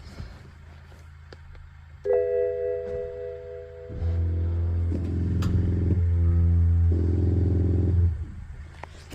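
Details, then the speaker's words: BMW E84 X1, ABS bleed routine triggered via Foxwell NT510 (service, chassis, wheel slip control), window open; low hum then louder steady pulsing drone cycling in steps about four seconds, vibrating pump to dislodge bubbles in ABS module tubes. "so that's what that does. It's more of a vibration on the pump to help dislodge bubbles from the little tubes."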